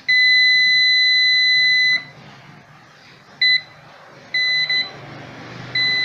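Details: Moulinex blender with broken, miswired terminal connections, checked with a continuity tester; sharp steady beep near 2 kHz in long and short bursts as the leads touch, showing a short circuit.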